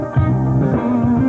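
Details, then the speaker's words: Sony TC-FX77 cassette deck, type II tape recorded on the deck, no Dolby, 70 µs playback: music dull and boomy with treble lost; muffled playback, playback head looks dirty, suspected cause. "that sounds kind of a bit muffled I wonder why I wonder we had a dirty head that head actually looks to be kind of dirty"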